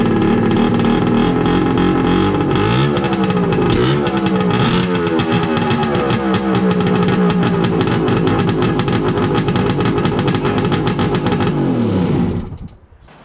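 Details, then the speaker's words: First start of a Wave Blaster jet ski after a 701-to-1100 engine swap, with temporary exhaust. Very loud, raw two-stroke crackle rises and falls with throttle, with no water muffling. The exhaust runs dry with no cooling water; owner suspects misplumbed water pipes, unconfirmed. "It was just all exhaust gas. Water going in there will help quieten it too. That's going to be loud when you're up on the plane."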